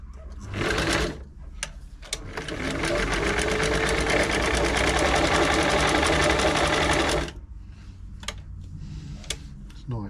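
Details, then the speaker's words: Singer 507 sewing machine after feed dog gear replacement and a full service. Quick, even whirring stitch, smooth and much quieter than before, with no knocking or grinding: normal sewing operation. "sounds much quieter they got they're not silent machines we only stretch the imagination but it's a lot quieter than it was"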